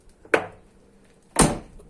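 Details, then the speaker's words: VW Gol G3 driver door opening and closing: two short sharp creaking clunks, mainly when closing; worn sticking door check strap, the most-used driver door typically affected. "ver que é essa é só a porta do motorista que dá esse barulho geralmente é a porta do motorista que apresenta esse barulho Porque a mais que usa né é a mais que abre e fecha"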